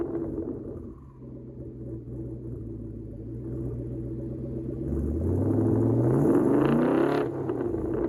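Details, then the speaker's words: 2017 Mustang GT V8 with MSD two-step PN 87311, ground-activated via clutch switch: lumpy idle, then revs climb smoothly to about 5000 with no cut-out stutter; limiter not holding, faulty MSD module suspected. "And the two-step sounds like it wants to catch the limiter, but it'll rev right past it. So I'm thinking it's a bad, most likely a bad module from MSD."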